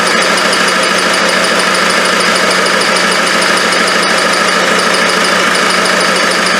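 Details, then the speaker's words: Land Rover 300Tdi diesel, freshly rebuilt, first start-up with no turbo hose, no belt, alternator or power steering pump fitted: busy diesel clatter with a fast high chirp, about twice a second, from the front as the shield behind the main pulley catches the aluminium housing. "There's a bit of chirping coming from the front. I realise it's the shield just behind the main pulley is catching on the aluminium on the housing."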